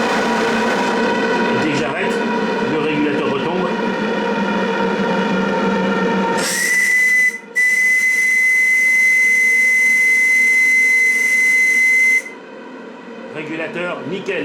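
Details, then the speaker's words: RC live steamboat on its first heating test, slowing down: steady high steam hiss with a clear whistle-like tone that holds, then cuts off cleanly as the pressure regulator climbs back. The regulator is operating normally. "donc je ralentis vous entendez d'ailleurs le régulateur remonter en"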